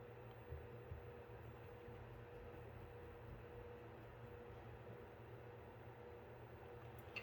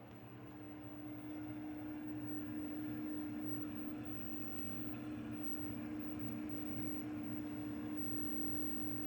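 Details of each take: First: Apevia Venus Power Series 500 W power supply, about 4 years in service, after replacing its bad 120mm fan: quiet, steady low whir with no ticking, rattle or bearing growl during function test; fan sounds healthy. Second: Apevia Venus 500 W power supply, removed after about 4 years in service, recorded close up: steady buzzing hum with a strong low tone and slight rough pulsing from its failing 120 mm fan, which was then replaced.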